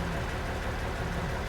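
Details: Jeep in cold Colorado mountains: short burst of low lumpy idle with an uneven firing beat; idling super rough and struggling uphill, cause unclear.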